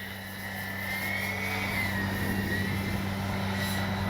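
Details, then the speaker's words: Airborne Dynam EMB-312 Tucano 4S RC warbird (1250 mm wingspan, 1525 g) on its maiden flight in strong wind: thin high whine near 2 kHz drifting over a steady motor hum; owner hears the motor whining, replacement motor being sent. "I can hear that motor whining. But like I say, they're sending me a new one."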